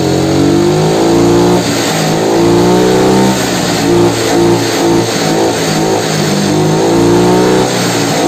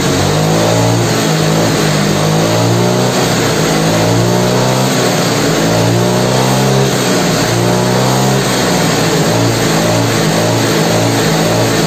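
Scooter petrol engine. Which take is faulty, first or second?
first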